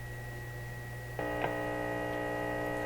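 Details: Deforest Crosley shortwave tube radio on restricted power while grid bias is checked: steady mains-type hum that jumps louder partway through over a constant buzzy tone; owner suspects low bias voltage, measured −12 to −13 V against the expected −16 V.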